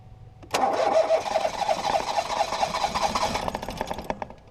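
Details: 2018 Ford Focus SE parts car with suspected water in a cylinder, plugs back in after fuel-smelling fluid came out; starter churns at a steady, slightly uneven beat for about three seconds, no fire; owner suspects a drained battery; engine-fault warning shown.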